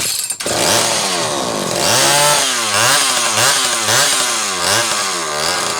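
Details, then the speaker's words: Two-stroke saw running the rebuilt Zama C2002 carburetor from a McCulloch Pro Mac 800: revs up and drops back in repeated clean, even blips with no stumble or bog; the carb is good and the saw runs fine. "This thing, yeah, it's running fine. You can hear it."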